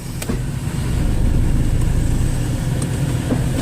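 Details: Dodge Neon after lower motor mount repair, running in gear: low, even rumble with no knocking or shudder, where it was noisy before. Normal running; the mounts are holding the engine steady.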